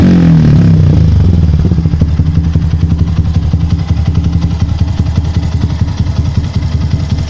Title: Yamaha Byson, walau sudah di tutup kabel ais nya tetap nembak nembak suara knalpot, ada solusi lain?